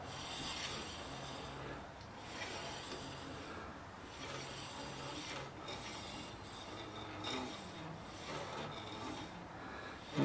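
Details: 2007 Chevrolet Impala rear wheel hub spun by hand on jack stands, wheel off; a soft, repeating scrape that rises and fades. Rear brakes or something loose is suspected and the source is not yet found.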